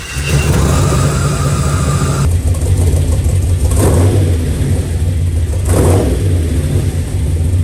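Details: 1939 chopped Chevy hot rod with a 6.2 V8 swap, after fuel pressure adjustment and a pump-priming start issue: deep, loud rumble settling into a steady lumpy run with blips; engine running healthily.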